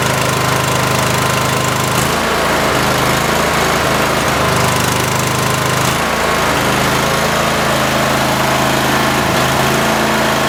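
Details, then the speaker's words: Cub Cadet mower engine: uneven stumbling beat with irregular skips every second or two over rough idle; owner suspects a bad coil and plans a spark tester on each plug. "so that kind of leads me to believe that maybe I have a bad coil I'm going to go ahead and try to crank it again in and if it doesn't run normal I have a spark tester"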